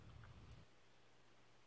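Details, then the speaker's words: NXR propane stove burner igniter snapping about every 1.25 seconds without the burner lighting; a warped bottom burner piece lets air in, and sanding it flat fixes it. "hi everybody here we are with our NX our prosto that everybody has trouble with this igniting issue in this clicking is - this one is doing it"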